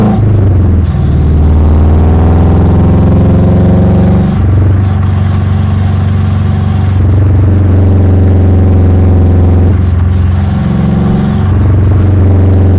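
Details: 2005 Subaru Impreza RS Sport with 4.11 rear diff, engine pulling up through the revs and dropping at each shift, with a few dull knocks or clunks at the changes, possibly from the rear diff.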